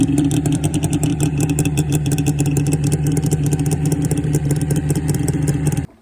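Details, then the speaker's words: 1998 SRX 600 two-stroke snowmobile after all three gummed-up carbs with stuck floats were cleaned: rapid, even firing holds a steady beat with no misses or stumbles, then cuts off cleanly; runs healthy. "And just like that, she's back together and she runs. So dirty carbs, I guess."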